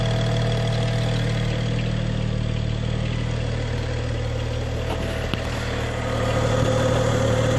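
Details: 2011 BMW E90 335xi at idle, after the throttle body vent valve/breather line and VANOS system were replaced: faint, fairly regular light tick about four per second over the hum. Engine ticking, source not pinned down.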